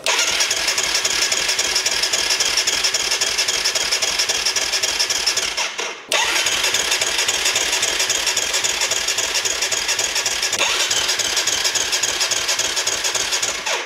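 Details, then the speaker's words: Kawasaki KFX 450 quad with KXF engine: two long steady cranking tries at about four beats a second, short pause, never catches; crank no start, not from the fuel pump; owners suspect piston not set at TDC. "Merde, ça vient pas de la pompe. Bizarre, hein ? Ah, la déception."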